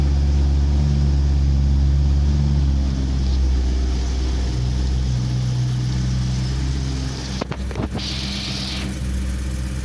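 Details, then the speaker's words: Stock 2008 BMW E92 M3 with S65 V8, cold start: deep, even idle held high with a light metallic chatter underneath; the chatter is normal, with no bearing noise. "this metallic chunk metallic noise is absolutely normal it does not have any raw bearings strange noise [Music] this is a perfectly healthy s65 engine noise during the cold stuff"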